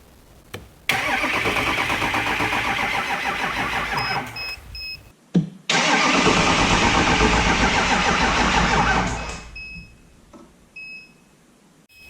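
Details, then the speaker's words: 2005 Ford F350 6.0L diesel cranked on an Audew 1000A jump pack (about 12.98 V): fast, even cranking at about three turns a second, pause, more cranking that fades, chime beeps; never fires; crank no start. "so I went ahead and just that first one it might have started it might not have I cranked kind of fast for a few seconds and then quit"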